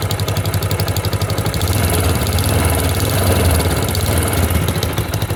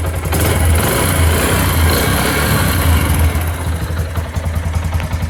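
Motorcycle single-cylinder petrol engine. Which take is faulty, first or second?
first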